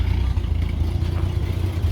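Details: Ex-VicPol Ford XG divisional van after the catalytic converter was cleaned and refitted. Low, lumpy idle surging and dipping instead of holding even. Still a slight smoky leak; owner plans to have an exhaust shop check it. Rough idle.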